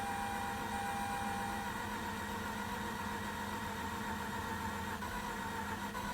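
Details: Mazda RX-8 rotary, 127,000 miles, freezing cold morning after a jump start: steady starter churning with a loose beat of about four per second, never fires; crank no start, owner suspects low compression or flooding, not confirmed.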